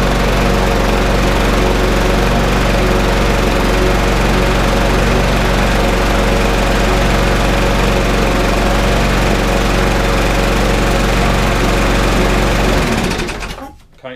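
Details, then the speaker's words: Briggs and Stratton 3.5 lawnmower from a job lot, primed and pull-started on the old spark plug: loud steady single-cylinder chatter at an even pace, no hunting or misfires, then winding down; runs well, needs only air filter cleaning. "runs absolutely sweet as a nut, which is good."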